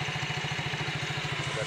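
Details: Yamaha Mio GT scooter after shimming the gap between the bushing and the roller housing with a zinc plate: steady, low idle putter with even pulses and no drive-side rattle; the CVT clatter is gone.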